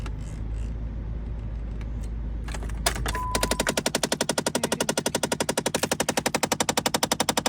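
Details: Jeep Compass with a knocking, clickety-clack sound in the dash: a sharp, even clacking of about four clicks a second from behind the dash. The HVAC blend door actuator had a cracked gear wheel with missing teeth and was replaced.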